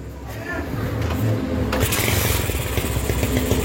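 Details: Honda MegaPro single, modified to CB style, with a charging fault (battery kept draining, ran stuttering) caused by a wrong ground, idling while the regulator/rectifier (kiprok) is tested for 12 V output: steady, even putter without stumbling; healthy idle.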